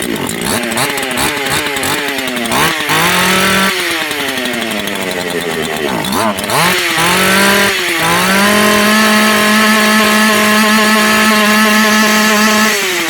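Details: Makita EA3202S/EA3203S chainsaw after fuel hoses reconnected and primer pumping: two-stroke revs in short bursts, then settles to a steady, high, even buzz with no stumbling or dying; runs normally.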